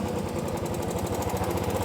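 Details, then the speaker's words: Royal Enfield Classic 350 with fast, even metallic tik-tik tapping locked to the engine beat, quieter at idle and louder as it is revved; loose valve guides in the head, not the hydraulic lifters the customer suspected. "ये देखो, इसका मतलब जो है ये head के वाल की गाइड हैं वो लूज़ हो चुकी हैं।"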